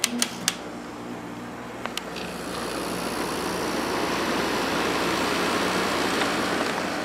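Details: Hotpoint 8400 BTU window air conditioner (rated 8.3 A) after its damaged power cord was replaced, switched on low. A couple of switch clicks, then the blower rises to a steady, even rush with a faint hum: normal running.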